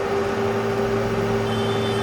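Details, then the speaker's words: Yuken KDRDE5K proportional solenoid valve (~17.9Ω coil), 12V DC, driven by plain PWM driver from SG-03S 0–10V signal generator: steady, even buzzing hum at fixed pitch, valve visibly vibrating; normal PWM drive hum. "Okay. It is humming. It's actually We can see the humming. It's vibrating, right?"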